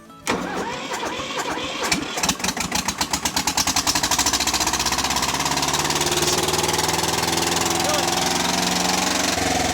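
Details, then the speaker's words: Kubota diesel needing head gasket replacement: a rough catch builds into a fast, hard-revving roar that won't come down. It is running away on oil dumped into the intake and exhaust and is expected to settle. "all right cool so it's still running away but that's just because we dumped a bunch of oil in the intake and the exhaust if we run it for a little bit it'll probably settle down"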